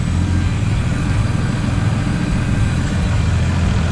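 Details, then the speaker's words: FG Ford Falcon Barra turbo six ute idling on hoist while warming, running 91 octane fuel: steady smooth deep burble, slightly fluffy idle, no ticking or exhaust puffing; sounds healthy. "So it's a little fluffy on the idle, but it does have 91 in it at the moment, which is a bit gross."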